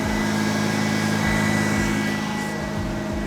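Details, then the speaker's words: Red Mazda RX8 rotary after an engine swap from the black RX8, start with fuel pump fuse back in. Steady, fairly even idle with a light buzzy drone and no knocks, somewhat smoky from burning off the ATF and other fluids used earlier. "Is that quiet? Yeah, bit smokey at the moment."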